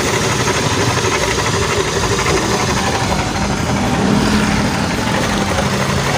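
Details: Honda Beat automatic scooter engine running rough at idle: busy uneven clatter, fast knock about four a second deep in the crankcase; damaged crankshaft bearing, caused by earlier oil starvation, to be replaced; crankshaft bearing knock.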